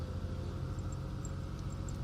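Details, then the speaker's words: 2003 Ford Taurus 3.0L 24-valve DOHC after $6 PCV valve replacement for P1506 high idle; cold start, steady even rumble near 1000 rpm settling toward 600-700 rpm as it warms; normal cold idle. "as it relaxes down on there so we're going to let it come down off the initial RPMs that was at Cold startup and it'll slowly bring it down to the desired RPM"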